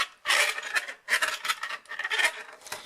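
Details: Traxxas 2WD electric RC car: harsh rasping grind in rough bursts about once a second as the motor spins up, a stripped spur gear; cause may be a loose motor shifted on a jump or incorrect gear mesh.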